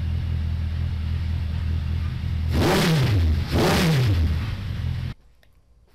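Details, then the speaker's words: 2002 Suzuki Bandit 1200S four-cylinder, fuel overflow fixed, jetted stage three with pod filters, not yet warmed up, mic moved back: steady idle then two clean throttle blips; runs normally again. "and that runs pretty much exactly as it did when it was you know mine and when i sold it to him and he's been enjoying it ever since"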